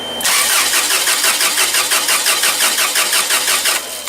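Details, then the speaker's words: Toyota 7FG U25 forklift with no-start complaint: starter spins the engine evenly at about three compressions a second for three seconds but it never fires; compression judged fine, spark or fuel next to check. "Nothing. So at this point I wouldn't suspect any compression problem because of the way that the engine is cranking."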